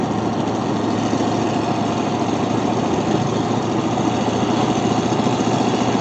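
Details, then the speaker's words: 1964 Ford Fairlane road test after fitting coil spring spacers to stop a cornering tire rub. Even engine drone and road roar as speed builds through the corner, no rhythmic rubbing or scuffing: no rub heard. "steadily building speed i still don't hear it"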